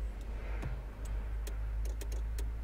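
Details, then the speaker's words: 2004 Renault Laguna 1.6 petrol, no crank, no ignition lights, immobilizer light flashing, during power-probe testing: faint irregular sharp ticks from a poor connection making and breaking contact; card reader problem found. "just got a dodgy connection and you're not never able to see but you're built to hear it"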